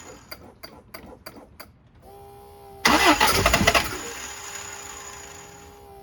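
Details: 1971 Toyota Celica RA20, 18RG engine with dual Weber 40 DCOE carbs, electronic ignition, new cap, rotor, plugs, wires and low-pressure electric fuel pump, long off the road: quick cranking, catches with ragged pops, lumpy idle; carbs still spit back.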